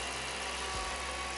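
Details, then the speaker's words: 2006 Jeep Commander 5.7L Hemi at idle after lifter replacement for a lifter tick: smooth, steady idle with only light, quick injector ticking over the engine hum, no misses or lifter tapping; check engine light off. Normal idle. "it's not shaking it's not idling rug there's no misfires the check engine light is off"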